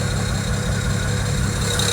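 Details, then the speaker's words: BMW 335i with a lifter-like ticking traced to loud number 6 injector, heard with that injector unplugged, hood partly closed: heavy, uneven, lumpy idle running on five cylinders; misfire from dead cylinder. "so it's running on six or five cylinders right now"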